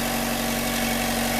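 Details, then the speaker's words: 2014 Chevy Volt engine after valve cover and PCV replacement, which had a busted, leaking seal: even idle with a steady hum and no whistle or hiss, no vacuum leak. "we won't get no vacuum leak here because I replaced the seal."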